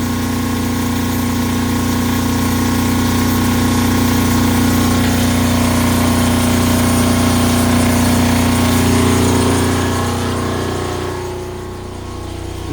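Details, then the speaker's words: Kubota GL 7000 diesel generator just restarted after governor adjustment down from about 63.75 Hz: steady drone with even constant hum, no hunting or surging; running around 60 Hz, on frequency. "so we're going to go ahead and start it up now see how it's behaving so that looks pretty good you can see that we're right in that 60 UH 60 htz"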